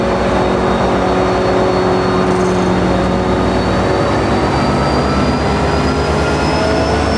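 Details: NJ Transit PL42AC #4000 locomotive, EMD 710 diesel: deep diesel throb under a vacuum-cleaner-like whine with slowly drifting tones; probably unusual for this engine, cause unclear.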